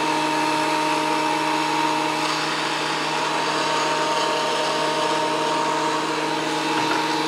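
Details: WEN PL1326 15-amp 13-inch spiral benchtop thickness planer after repair of damage from misuse, feeding a small board: smooth steady high-pitched whirr without chatter or bogging; cutting cleanly again.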